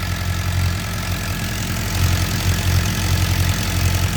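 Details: 2007 Suzuki GSX-R 600 first start after water pump seal, freeze plug and electrical repairs for coolant in oil, gaskets reused: even, low, steady idle with smooth exhaust pulse, no knocking or ticking. Normal idle; smoke thought to be old oil burning off pipe.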